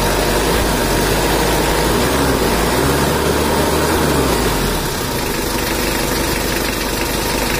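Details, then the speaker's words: Rebuilt Mitsubishi Strada Triton 4D56T turbo diesel after overheat seizure and scored liners, in break-in with idle set to standard, injection pump and nozzles not yet serviced; steady even clatter about 3.5 beats per second, no knocks. Normal idle. "Gan ini adalah suaranya juga normal Coba kita gajah untuk mesinnya belum kita setel semalam ya Jadi kita standarkan aja karena ini adalah masih masa inreyen"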